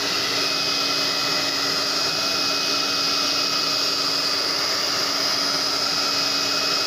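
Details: Tecno Elétrica Fórmula 6000 Turbo hair dryer after its repeatedly breaking heating element was replaced with one adapted from another dryer, already warm, reaching about 110 °C: smooth constant high whine with even airy rush, no dropouts; normal operation.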